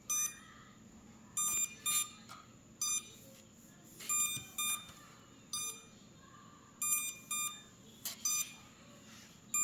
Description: Can anyone please help me figure out why my F31 drone blades are not spinning? It just keeps beeping.